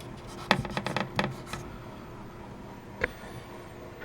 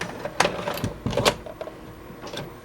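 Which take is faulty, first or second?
second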